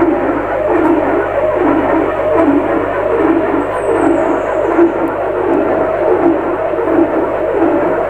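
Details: Lux Royal WH 1093i washing machine: rhythmic rubbing swish about 82 times a minute with drum rotation; cracked, corroded spider (drum support) pulls drum forward to scrape door gasket, bearings fine; fixed by replacing inner drum, spider and shaft.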